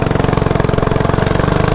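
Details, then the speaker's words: Mini bike single-cylinder with race quarter-turn throttle after resetting carburetor idle screw and removing cable tension: quick, even putting about sixteen pulses a second, no stumble or bog, idle now perfect; bogging fixed. "so yeah that should be better right there so and you can hear when the idle is perfect"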